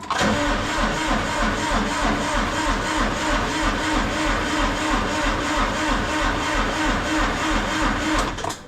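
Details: Massey Ferguson GC2300 diesel tractor after a -26° night, glow plugs used, battery dropping to about 8.3 V: slow, labouring starter churn about three beats a second that never fires; cold cranking, no start.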